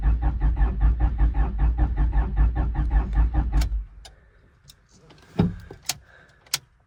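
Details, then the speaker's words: First start attempt on a wrecked, long-sitting 25-year-old Honda with possibly dead battery: slow, even cranking for about three and a half seconds, never fires, then click; crank no start, owner suspects moisture in distributor cap, fuel pump not heard. "I don't know the last time this thing's been started, so very well could have moisture in the cap and it's just not firing."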